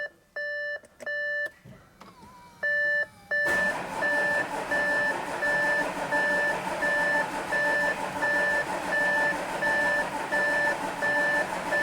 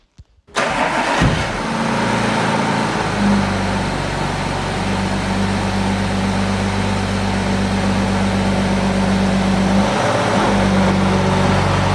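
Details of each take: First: Audi A7 3.0 TDI, newly fitted brand-new engine, first start attempt after cycling ignition for fuel pressure: long steady cranking with repeating warning chime, not catching; owner suspects it needs more fuel or a battery charge; it then starts. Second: Audi A7 3.0 TDI with brand new engine and semi-new gearbox, new air filter fitted, fuel nearly empty: quick crank, catches cleanly and settles into a steady, even idle with no knocks, misses or hunting.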